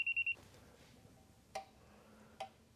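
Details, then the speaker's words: 2011 Scion xB with a recurring check engine light. A Bullseye leak detector held up by the EVAP hose gives three quick high-pitched beeps followed by faint clicks, and its light comes on. This confirms a leak at the hose, later found bubbling at the top of the hose. "put the detector up by the hose you can hear the audible siren go off much louder and my leak detection light is on confirming that there's a leak somewhere at the hose"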